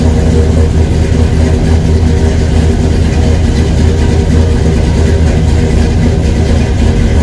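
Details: 1969 Buick Skylark with a Vortec 350 V8 from a 1996 Chevy Tahoe, Astro van transmission, running after 20+ years sitting, new full exhaust: deep, even V8 burble at idle, steady with no misses or ticks; normal healthy idle.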